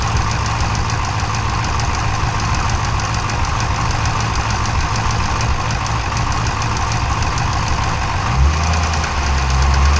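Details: 392 V8 with 1400 miles at steady idle, heavy diesel-like ticking knock about three beats a second, said to sound like a Cummins; engine knock, cause undetermined.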